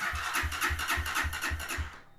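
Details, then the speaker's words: Lifan KPM 200 motorcycle, cranking with kill switch set so it won't start during no-start diagnosis: strong even cranking about four beats a second for two seconds, battery dropping only to about 10.9 V; healthy battery and starter. "see mine dropped down to about 10.9 that means that my battery is still a healthy battery"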